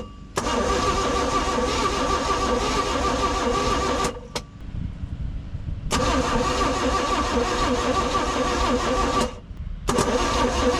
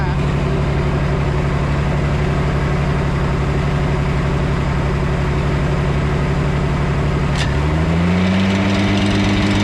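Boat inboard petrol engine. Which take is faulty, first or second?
first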